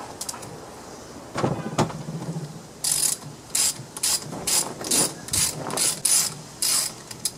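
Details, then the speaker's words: Kubota GR2100 transaxle during rebuild, shaft turned by hand: irregular ratcheting clicks and a dry, gritty rasp on one side while the other side sounds fine. Rough bearing. "well it doesn't sound good at all though this side sounds okay but it's all gritty on this side"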